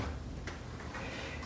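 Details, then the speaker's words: Original Macintosh LC first generation at power-on: continuous steady ticking, about two a second, from the power supply, meaning something inside has failed. "Here, you can hear continuous ticking from the power supply, which means something has gone bad in there."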